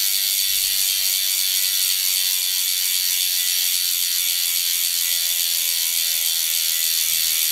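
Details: Freehub of a DT Swiss 370 three-pawl rear hub on the E 1800 Spline db wheelset of a 2020 Canyon Endurace CF SL Disc 8.0 Di2, spinning freely: rapid, even, high-pitched buzzing clicks with no grinding or skips; normal, healthy freehub.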